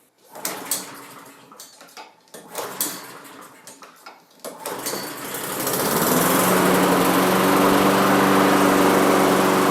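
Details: Neglected Honda HRR216 lawn mower first start: handling clatter, then the engine catches and settles into a fast, even buzzing drone; runs, condition unclear.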